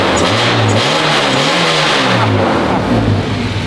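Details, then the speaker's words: K-swapped EG Civic hatch with a new custom exhaust and Vibrant resonator, idling after warm-up, heard at the rear pipe: loud steady drone with an even pulse and small rev rises, no misses or knocks. Normal idle, quiet for its loudness. "So I forgot to mention that resonator is a vibrant resonator too, which I actually really like it because it keeps it quiet during idle."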